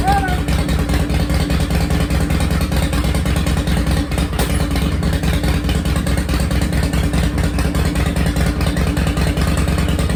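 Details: 2005 Harley-Davidson CVO Fat Boy first started after replacing a stripped clutch hub, the clutch and the bearing; deep loping V-twin idle with a steady beat and no clunks or rattles. It shifted into gear and back into neutral normally.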